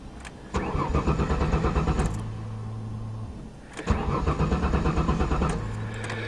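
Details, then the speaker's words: 1994 Ford Taurus wagon, fuel system primed: starter spins engine in two long bursts, roughly three turns a second, never catching; tank out of fuel, owner suspects gas stolen; crank no start. "primed I hope the gas isn't stolen out of it I wonder does a gauge work a I bet someone did steal the gas"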